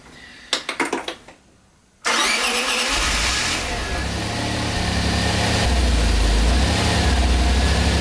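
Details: Maserati 4.24V, 2.0 V6 Biturbo, under restoration: short crank, catches cleanly at about two seconds, then smooth steady idle with even beat; healthy start.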